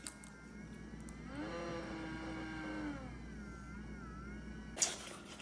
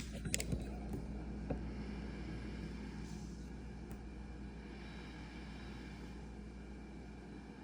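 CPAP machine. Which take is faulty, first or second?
first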